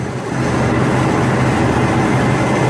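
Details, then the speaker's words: Deep, steady idle drone without knocks, misses or squeals on first start of a Chevy/GMC 4.3 V6 after head gasket job, radiator cap off while coolant is topped up and leaks checked; normal idle. "there you go running you know that with a durrani please we're gonna we're going to put the top on the radiator let it run"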